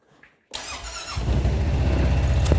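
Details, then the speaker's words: Honda Pioneer UTV that wouldn't start, with a 15 A fuse replaced and the display blinking a gear code: a brief crank, then a rough low idle; it runs only while the key is held in start and dies when released, ignition switch suspected. "as long as I hold the key on so that this is getting power it will run but as soon as I let off on the key it loses power again so it's almost like the ignition switch is bad and it's not letting power through while it's just in the on position"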